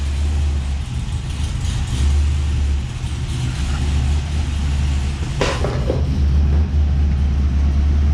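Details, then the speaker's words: 2006 Cadillac CTS-V V8 with overly tight clutch before shimming slave cylinder: heavy, even burble, steady with no knocks or ticks, one brief clatter midway; engine sounds strong and healthy. "Listen to this thing. It's a good sounding Cadillac."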